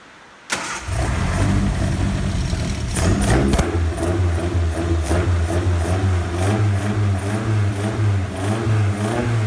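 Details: Ford Kent Crossflow 711M with Dellorto carbs, just fitted with AccuSpark electronic ignition to fix intermittent spark, distributor cap rotated 180°: starts first crack, lumpy idle with light regular tapping and faint spit-back through carb throat; owner suspects rockers need adjusting.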